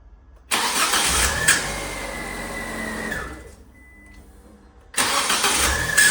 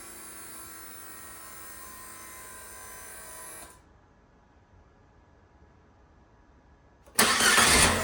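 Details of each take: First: Fiat 500 starting with a high, thin squeal over the engine, caused by the starter motor's Bendix drive sticking slightly during cranking; fixed by lubricating or replacing the Bendix, after which the squeak disappears. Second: Fiat 500 after starter Bendix (starter drive) lubrication or replacement to cure a startup squeak: a short, clean crank catches quickly and settles into a steady idle with no squeal or chirp.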